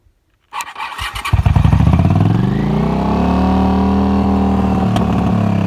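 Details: Honda CX650 twin after a no-start traced to the fuel petcock, with fuel added to the carb and the starter solenoid jumped in neutral: the starter whirs, it catches within a second and settles into a steady, even idle.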